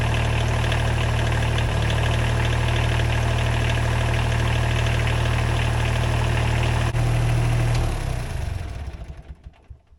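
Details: Small wheel loader diesel at its first start after rewiring, glow plugs used: steady, even diesel clatter at a settled idle with no misses or knocks, then a clean shutdown; engine sounds healthy.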